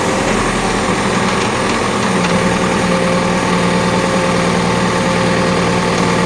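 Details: Cat backhoe hydraulic pump: constant loud hiss and drone over the engine, no clear rhythm; abnormally noisy hydraulic pump, cause unconfirmed.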